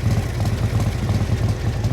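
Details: 1957 Harley-Davidson FLH Panhead tank shift with sidecar, factory race-ported heads and race cam, low original miles, original paint: slow, loping potato-potato idle with even beats and deep low exhaust thump; healthy, sweet-running motor.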